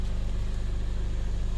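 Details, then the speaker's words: 2015 Mercedes-Benz CLA with crank-no-start fault codes for low fuel pressure, now started: low steady idle hum around 600–800 rpm with even beat, nothing irregular; engine running normally. "so engine is running you can see the RPM 600 800 RPM all right so car is running"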